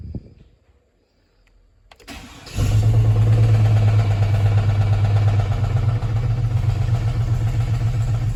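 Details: 2004 single-cab truck's original V6, overfilled with oil: starter cranks briefly, engine catches and idles with a steady even low thump underneath; engine knock, owner suspects rod knock or torque converter bolts, not confirmed.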